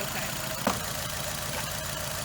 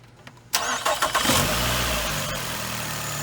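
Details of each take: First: Nissan Altima at a mobile call: uneven, lumpy rough idle with irregular low pulse and a sharp snap; unplugging coils isolated one dead cylinder, and its coil-over-plug coil was found sparking externally, so the coil pack is to be replaced. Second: Nissan Altima petrol engine after a misfire repair on a mobile call: it cranks, catches and settles into an even idle with no stumble. The shaking is gone; the coil pack's spark had been hitting the engine, and the coil pack still needs replacing.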